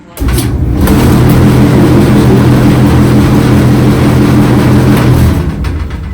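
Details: Whirlpool dryer running: a loud, steady low droning hum starts up, holds evenly for several seconds, then winds down; noisy operation, cause not yet found.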